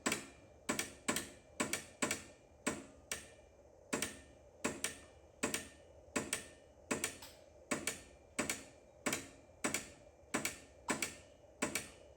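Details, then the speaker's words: Edsel with a fuel delivery problem: sharp, dry ticks repeat about every half second to second from the shifter mechanism, which is wiggling because a supporting brace is missing and the rod is bent. "That is the uh shifter. Okay, let's uh Okay, I'm going to stop there. it's wiggling."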